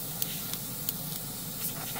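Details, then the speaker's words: $20 double airbrush and compressor combo, airbrush fitted with a quick release: a soft, continuous, even airy hiss with no trigger pulses; this airbrush always blows air and the trigger only releases paint, which is normal. "let's go ahead n it always blows out yeah it's an always it always blows out"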